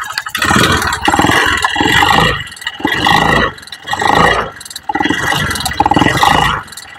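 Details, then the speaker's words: Honda Beat FI with harsh engine noise: rough, harsh pulses on each blip with a dry rattle dominant from the middle of the engine, not the CVT; suspected oil starvation, piston replaced. "nanti masalah suarane lebih dominan Ning bagian bagian tengah k Mas suarane lebih dominan Ning bagian an Tengah Nek jvt gak seperti ini Mas suaran gvt ya"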